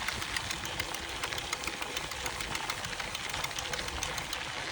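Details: FAZUA Ride 60 mid-drive motor on a Canyon Roadlite:ONfly 5 e-bike, after about 450-500 km, making sharp light clicks three to four times a second, intermittently while pedaling; no error codes in the system report.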